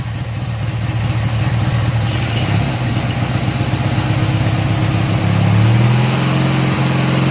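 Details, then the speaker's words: Briggs & Stratton 18hp opposed twin idling after carburetor cleaning and reinstallation: a deep, even low-speed rumble with steady firing pulses and no misses or knocks; smooth, healthy idle. "Guys, I love the sound of those opposed engines. Now, I personally, I own a Subaru, and they've got that boxer style engine in it, but just something about that rumble, man, of that."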